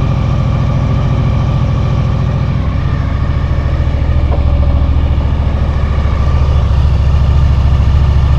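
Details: 2000 Honda VFR800, fuel-injected, restricted, on its first start after 6 months standing on old fuel: lumpy, uneven idle with a low pulse of about three to four per second. One cylinder is dead with its exhaust pipe cold, so it runs on three.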